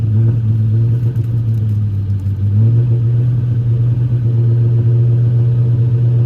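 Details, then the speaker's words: Cammed 4.6 SOHC Ford Mustang V8 after rebuild for bad head gasket, first start: deep loud idle wavering unevenly before steadying; rough idle from incorrectly set throttle plenum blade, fixed later. "The blade on the throttle plenum was not set correctly, hence the idle issues that was fixed later."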